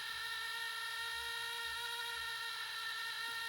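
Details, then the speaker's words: Compaq LTE Elite 4/75 laptop floppy drive after belt replacement, testing with disk at DOS prompt; steady high whine with no disk rotation rhythm, motor running while spindle isn't driven, belt possibly burning. Floppy drive squeal. "that didn't work. Sounds like it's burning the belt. Okay, that was not a success."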